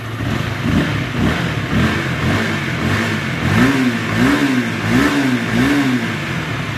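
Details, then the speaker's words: Motorcycle at 85,000 km, cam chain never replaced: repeated throttle blips bring a dry rasping rattle that rises with revs; worn cam chain, to be replaced. "Nah masih kasar, ini disebabkan oleh rantai keteng teman-teman. Rantai ketengnya juga udah lumayan aus teman-teman ini. Ada suara ngasreng kayak gitu."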